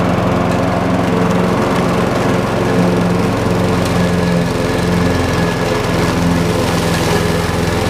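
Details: Craftsman 6.75 lawn mower that would not start after winter storage, running after carburetor cleaning (a clogged port or jet, bottom one suspected): steady, even single-cylinder buzz at constant speed, no surging or stumbling; healthy.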